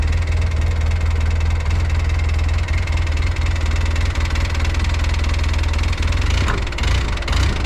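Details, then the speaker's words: 2011 Polaris Ranger 800 driven in high range: loud engine drone with irregular low clunking, roughly two per second, from the rear transaxle. A suspected missing gear tooth, worse in reverse and low range; teardown showed it was beyond repair. "you can actually hear what sounds like possibly a tooth missing out of something"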